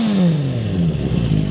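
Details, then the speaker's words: 1977 Honda CB400 Four Supersport 400cc four-cylinder, rebuilt top end, Yoshimura Cyclone 4-into-1 racing exhaust, warmed up about 5 minutes on a very cold day; crisp even note revving and dropping back to idle, smooth and healthy. "The engine's nice and smooth, as you can hear here. Then it sounds really good with this racing Yoshimura system on as well."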